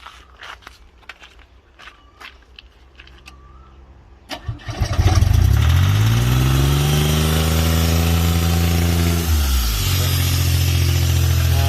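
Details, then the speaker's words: Airman PDS90 air compressor, 3-cylinder diesel, used import, mostly original; few seconds quiet, short crank, then diesel catches at once and settles into steady even run; starts easily. "เครื่องติดง่ายนะฮะ"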